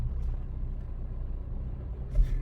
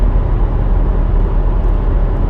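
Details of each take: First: 2011 Honda CR-V AWD, 300,000 km, driving, worse when turning: light rhythmic chirping squeak over engine and road noise repeating with wheel speed; dry, worn staked U-joint on the rear driveshaft. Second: 2011 Honda CR-V, 300,000 km, test drive after replacing a staked rear driveshaft U-joint that caused a drivetrain noise worse when turning: steady low road rumble, no clunk, knock or vibration; no more play, driveline smooth, fixed.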